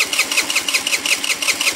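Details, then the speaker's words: 50cc scooter with 500 miles, new plug, coil, fuel filter, CDI, battery and carburetor: high-pitched starter whirring in quick, even pulses about eight per second, but the engine never fires, even with starting fluid. "won't start even with starting fluid it won't start"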